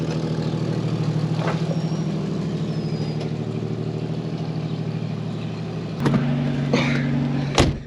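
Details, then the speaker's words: 1984 AMC Eagle engine just started after sitting for weeks: fast idle with rapid puffing tick on each firing and a raspy edge; bad exhaust leak, idle unusually high for unknown reason, but runs. "So as you can hear, it has a pretty bad exhaust leak, and the idle's like really high for some reason, but it still runs."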